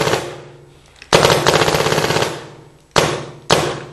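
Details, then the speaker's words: 2009 Smart Parts NXT Shocker board in mode 5, PSP ramp: one lone shot, then a fast rattling string, then two single pops; the marker ramps only once the trigger reaches 5 balls per second, as expected. "This is PSP ramping, and basically you're going to see that as I pull the trigger, you have to hit 5 balls per second for the gun to ramp."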